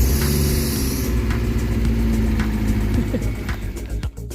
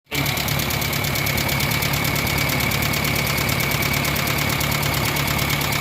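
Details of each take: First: Kia Pride after cleaning and adjusting seized exhaust rocker arms that caused valve tapping; even low idle with soft belt whir, no top-end tapping left; valvetrain now quiet. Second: Kia Pride at idle with sharp, fast ticking about four per second from the rocker arm system; exhaust-side adjusters stuck with no play.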